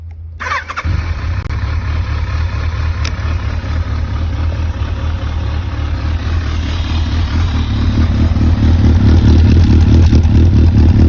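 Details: Kawasaki ZRX1200R idling with the muffler outlet blocked by a rag to check for engine noise: steady, even idle pulses rising slightly in loudness, no ticks or knocks; no abnormal engine noise, normal idle.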